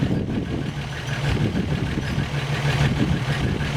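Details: 1963 Rambler American, first start after engine rebuild: steady, even low idle with smooth hum, no knocks or misses; coolant holding 195°F on 195 thermostat, oil pressure pegged past the 30 psi gauge.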